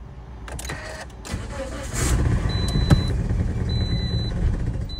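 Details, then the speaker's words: 2009-2013 Toyota Corolla with intermittent no start and random misfire codes: catches and runs roughly about three seconds with door chimes beeping, then dies, then no start; low compression in all cylinders from a failed head gasket. "It ran for a few seconds and then it died. So I tried again. Now it's officially a no start."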